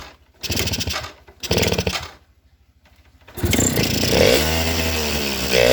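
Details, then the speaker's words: Suzuki RC carbureted motorcycle started on choke: two short bursts then ragged running, stumbles and won't rev on throttle, dies when throttle released even with idle screw maxed; carb holes worn loose. "posisi mesin dinyalakan, motor ini tidak mau digas, dan kemudian lepas gas motor ini langsung mati, sedangkan tensionernya sudah mentok full tetapi masih saja tidak mau."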